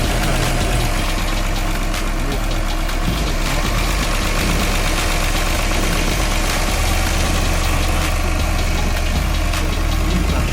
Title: i got a misfire on cylinder 5 ￼